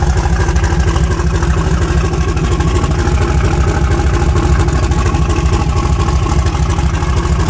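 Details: '74 Nova with an S480 turbo just installed and chopped diesel-truck exhaust, fired up cold at about 27°F: deep, even V8 burble at a steady idle, regular firing pulses, no misses or ticking. Healthy idle.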